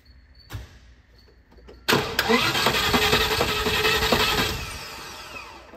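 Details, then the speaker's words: Land Rover Discovery XD, distributorless with coil packs and crank sensor, after fuel pump and line replacement; starter cranks with steady even churn but never fires, spark tester shows no spark, electrical fault. "right there was no spark there so we seem to have found a british vehicle that has electrical problems"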